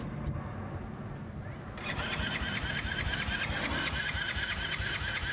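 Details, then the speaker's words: X-PRO 125cc Chinese sportbike, new: starter whirs and the engine turns over steadily at about two beats a second without catching. Cranks but won't start; fuel not reaching the engine. "it's not an oil problem it's just not getting fuel everything is running it's just not getting fuel"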